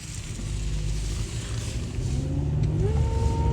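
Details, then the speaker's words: 2013 Chevy Cruze test drive with low power, won't go over about 30 mph; a whining noise from the engine rises with speed over a labored drone. Codes include MAP sensor performance, system lean, engine under boost, evap and intake airflow performance. "is a noise coming from the engine I don't know if you could hear that it's like a whining noise"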